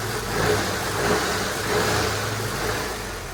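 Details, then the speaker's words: Holden WH Statesman series 2, L67 supercharged V6 with M90 supercharger, at idle and just above: low uneven rumble from the front of the supercharger, likely a noisy drive coupler rattling inside the snout; felt through the car when taking off. "I believe it's got a noisy coupler inside the snout of the Supercharger so when that happens it sounds like this so at idle and just above idle you get a bit of a rumble from the front of the supercharger"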